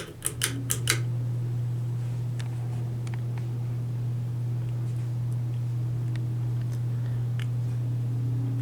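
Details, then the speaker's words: 2003 Hampton Bay Minuet II 32-inch, 3-speed reversible ceiling fan at medium speed in reverse: a steady low motor hum under the airflow with a few light ticks at the start; it hums less in reverse. "For some reason, this fan doesn't hum as much in reverse."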